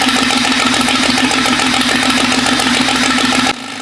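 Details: Jeep 5.0 stroker build, longer pushrods fitted: loud idle with an uneven, stumbling beat about three lumps a second before cutting out. Header temperature of about 220° versus the 400° needed marks a dead middle cylinder; owner suspects pushrod length or lifters.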